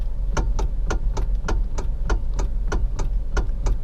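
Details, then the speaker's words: Kia Forte electric power steering: sharp dry clicks, almost two a second, on small left-right steering direction changes, none during continuous turning; worn power steering motor coupler/bushing, fixed by replacing the coupler. "the sound is pretty annoying."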